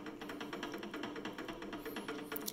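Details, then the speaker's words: PM-728V-T milling machine spindle at 4375 rpm: fast, light rattle ticking evenly over the spindle hum, from the clearance between the spindle splines and the drive pulley splines; normal, not a fault. "bit of what I'll say a rattling noise that's the clearance between the splines on the the spindle and the splines on the pulley that drives it right so you gotta have clearance"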